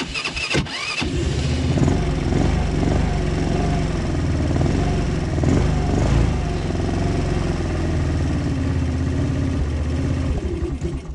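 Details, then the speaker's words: Quad with an unrebuilt engine that smokes heavily: brief cranking, then it catches into an uneven, lumpy idle. It needs several attempts to start because the automatic choke barely works, and needs warming up. Hard starting. "alors je sais que le démarrage est laborieux un petit peu qu'il faut faire plusieurs fois sort afin qu'ils viennent tenir le romantique parce que le starter automatique en fait ils marchent pas des masses"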